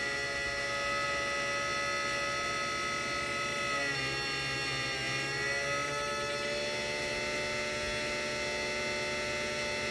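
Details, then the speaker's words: 3D-printed axial-flux BLDC motor on an Arduino controller, first run: steady high electrical whine and hum at constant speed with a slight wobble midway; noisy running, cause unclear, burning smell noticed afterwards. "wow it's kind of weird kind of noisy there at startup you can hear the speed controller speed control is working"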